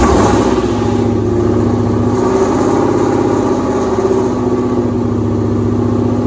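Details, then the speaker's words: 2007 Mustang GT with swapped Coyote V8, no control pack, first start-up with custom exhaust to 3-valve mid pipe: even steady idle with smooth deep burble, no knocks or ticks; sounds really good. "sounds really good"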